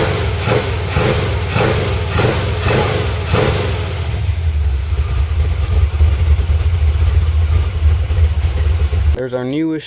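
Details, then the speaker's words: 1985 Chevy C10 350 V8 with ZZ4 heads and cam, just-fitted used Quick Fuel SS 680 carb, no choke, no return spring, unadjusted: snaps up sharply on blips, then drops to a lumpy idle; debris still in the carb. "as bad as it's acting up i gotta say it does take the gas a lot better than that 750 did it's a lot more crisp now it is definitely got some trash in it still"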